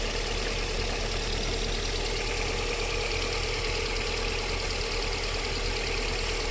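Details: VAZ 21127 engine at steady idle during warm-up with a faint, fast knocking tap under the hum; it disappears once the engine warms to about 40 degrees, cause not pinned down.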